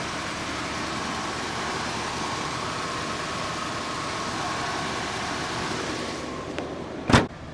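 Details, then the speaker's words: 1970 Ford Mustang Mach 1 with original 351 Cleveland 2-barrel V8 and FMX automatic, started on a cold day: quiet, even, very smooth idle rumble with no misses, ticks or knocks, only a clack near the end; normal idle. "I'm going to give them the signal to fire her up. Very smooth running"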